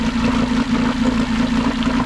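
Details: Old skiff outboard after carburetor rebuild, idling with the lower unit in a non-recirculating bucket: steady rough idle, low buzzy hum, splashing; the cooling telltale is weak but got a little stronger, suggesting restricted flow. Cause unconfirmed.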